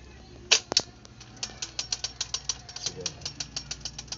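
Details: Motorcycle after repair with bearing fixed, idling: quick, even ticking from a small single at steady idle, no knocking or rumble underneath; sounds healthy and ready to ride.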